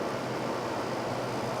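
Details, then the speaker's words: Fedders window air conditioner after oiling dried-up motor bearings and cleaning, cover back on: smooth, even rush of air with a steady hum, no rattles or squeals; running properly, evaporator no longer freezing. "okay now we test with the cover on sounds like an air conditioner to me oh yeah here with the cover back on you know it seals off the condenser unit real good so it's not really freezing up on this"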